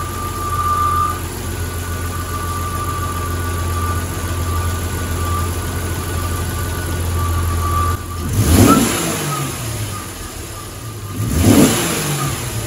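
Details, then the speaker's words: 1994 Jeep YJ after ECU repair, idling with two throttle blips: runs well with a faint thin whine the owner believes is from the alternator. "sounds great there's a little whining i believe it's from the alternator"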